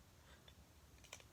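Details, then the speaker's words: Midtech Phantom OD knife: quiet, sharp little clicks as the knife is shaken, the loose firing button rattling, with slight blade play; it misfired once and a screw loosened and flew out when firing. "can hear that that's the button shaking about if I hold that you may hear that some of the play in the blade it doesn't have very much"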